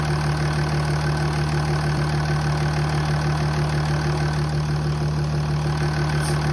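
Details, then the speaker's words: Jeep with a Mercedes OM642 CRD diesel, just after the first start following reassembly, with the MAF sensor unplugged and the airbox off: deep, steady idle with an even low beat and no loud clatter or misfire, much quieter than before. "that's certainly much quieter"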